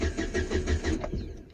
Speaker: you can see, 12 volts is present at the connector, which confirms that the fuel pump itself has failed and is the reason the engine won't start.